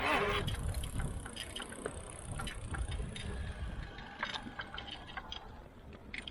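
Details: Bosch Performance Line Speed e-bike mid-drive motor while pedalling: rough, uneven rattling whir louder than it should be; something inside the drive unit seems broken, cause not confirmed.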